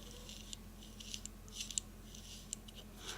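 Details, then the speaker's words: Lafayette/Univox U65RN solid-state guitar amp under repair: quiet hum under irregular scratchy crackles and clicks as the knob turns, growing louder while loosening; dirty, gritty potentiometer needing contact conditioner. "It's like a grittiness. It's definitely loosening up, but man, it's getting louder. The grittiness is."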